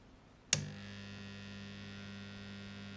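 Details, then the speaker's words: Old Suzuki SS-II motorcycle ignition tester under repair, secondary voltages present but meter not working: click at switch-on, then a loud steady buzzing hum; cause not found and possibly normal; loud transformer hum. "so we've proven all of our secondary voltages are present it's interesting why it still hums loudly"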